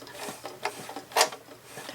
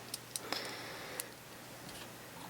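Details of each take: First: White 999 sewing machine, about 40 years old, hand wheel turned slowly while oiling: dry, uneven clicks and scrapes instead of a smooth whir; suspected bobbin-area problem, dry mechanism lacking lubrication. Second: White 999 sewing machine, around 40 years old, after cleaning and oiling: light irregular ticking and clicks as the handwheel turns, no scraping or metal rub; earlier roughness fixed by oiling, sounds smooth and healthy.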